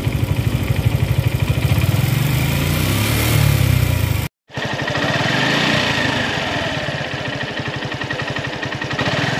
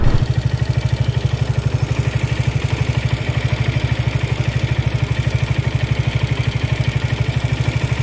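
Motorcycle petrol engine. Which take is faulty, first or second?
second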